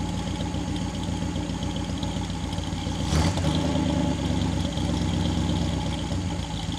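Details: 1959 Daimler SP250 barn find, cold start idle: even, lumpy low rumble with a brief throttle blip midway, settling back to steady idle; healthy cold engine.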